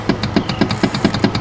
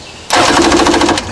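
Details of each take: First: 1995 Yamaha Wave Raider WaveRunner: pressing start gives only rapid, even solenoid clicking from the electrical box, about seven or eight a second, with no cranking; bad starter solenoid/relay, replaced. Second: 1995 Yamaha WaveRunner Wave Raider, previously only clicking at the electrical box. After the bad starter solenoid/relay was replaced and the hot wire reconnected to the battery, the starter spins the engine briskly with quick, even chugs instead of a lone click. Normal cranking.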